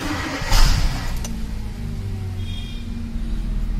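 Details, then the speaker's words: Hyundai Creta petrol with pick-up problem, after replacing 4 spark plugs and ignition coils (old coils broken): button start catches, settles into smooth steady idle, RPM stable where it shook before; normal idle. "आता आपण plug बदलल्यामुळे RPM stable झालेला आहे. गाडी पहिल्यांदा plug गेल्यामुळे गाडी धडधड धडधड धडधड करत होती."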